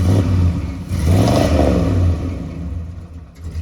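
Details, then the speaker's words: 1978 Chevy 454 V8 camper RV running rough: uneven, lumpy, surging revs that stumble, heavy black smoke, sounds rich and trying to die; owner wonders if the choke is hanging up, cause unconfirmed. "all righty guys listen what the Big Kahuna is doing it doesn't sound good at all black smoke everywhere it's trying to die"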